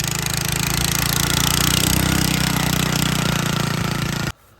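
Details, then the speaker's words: Honda FL250 Odyssey, carburetor dripping fuel and flooding. Loose main jet fell out, so it runs rich and smokes. Loud, lumpy small-engine putter with an uneven beat before cutting out: rich running from flooded carburetor. "When you go through the carb with the fuel on, you can see it start dripping. See air balls. It's just a little flooded."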